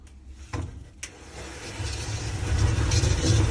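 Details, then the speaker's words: Speed Queen dryer during the cycle: two sharp knocks then a building low rumble with a rough scraping edge; an object like a screw was trapped in the inner drum felt and removed. "sounds like something scraping more than likely with that sound there's possibly something trapped in the felt like a screw"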